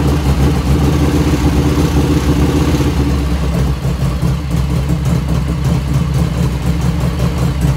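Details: 1985 FXR at cold start, about 49°F, after a float setting: a deep, even V-twin idle with a steady lumpy beat, running clean. No lifter ticking yet; the owner notes it starts ticking once warm.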